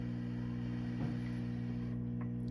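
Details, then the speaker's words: 5E3 tweed Deluxe amp build, nothing plugged in, first filter cap replaced with 30 µF which helped slightly: steady low hum with stacked mains-frequency tones from the speaker, barely changing with knobs; source of amp hum not found. "hopefully you can hear this but it's a very low hum coming out of the speaker nothing's plugged in it doesn't really change if i turn knobs"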